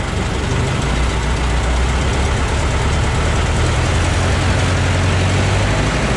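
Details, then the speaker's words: Ford Model T four-cylinder idling after cold start, with new muffler fitted and front exhaust leaks thought to be sealed: low, steady idle, even muted exhaust note, no rattles or puffing leaks; much quieter, healthy. "i can tell it's quite a bit uh quieter than it was with that new muffler that helps a lot"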